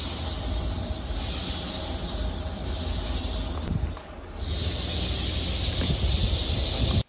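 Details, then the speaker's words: Land Rover Range Rover L322 4.4 TDV8 diesel on a cold start in cold weather: loud steady high-pitched screech over the idle; auxiliary belt slipping, possibly stretched belt at tensioner limit or tensioner bearing. "it's a much louder Screech which indicates the belt is actually slipping properly so um yeah that's not good"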